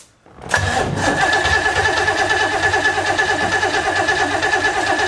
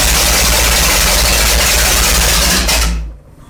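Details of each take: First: 1970s big-block jet boat engine whose fuel tank held water and goo, now running on fresh gas from a 3-gallon auxiliary tank. It catches and runs evenly for about seven seconds, then cuts out abruptly. Owner suspects vapor lock. Stalls after starting. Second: 1970s jet boat big-block V8 revived after water was found in the engine, run on a 3-gallon auxiliary tank with a fresh carb and timing checked: loud, even roar held steady for about three seconds, then a clean shutdown; runs strong and smooth.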